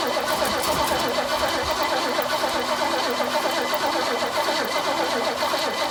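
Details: 1968 Mustang sitting 8 years, new battery, fuel line from the pump temporarily rerouted: starter turns over unevenly with no pops; no fire, possibly not enough fuel yet, or a gummed carb, stuck seat or failed accelerator pump.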